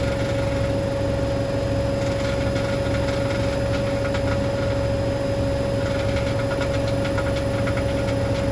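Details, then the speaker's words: Hoover DynamicNext DXOA410C3 10 kg 1400-spin washing machine on test spin, reported loud on spin: steady hum with low rumble and bursts of light ticking rattles; something loose in the drum, believed to be a £1 coin under the heater element. "sounds like something stuck in the drum um that's going to be fun trying to get that out then unless it was s in the filter I don't know"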